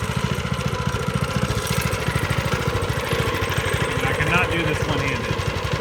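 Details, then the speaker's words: Baja minibike, small single-cylinder engine, first start after carb clean with fresh gas and choke on: runs with a quick, even putter at steady speed, doesn't slow, no weird noises; clutch works, so it'll be ridable once the throttle grip is on, though a fuel issue remains. "but motor sounds good not doesn't slow for anything and uh no weird nois this clutch works so it'll definitely be ridable"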